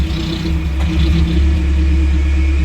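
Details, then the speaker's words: Nissan Platina or Renault Clio 2 at idle: slight explosions, wavering stumbling hum and unstable rev needle, worse with air conditioning on, smell of gasoline; engine misfire and rough idle, ignition coils suspected as the cause. "some slight explosions are heard and as we can see the revolution needle is a bit unstable"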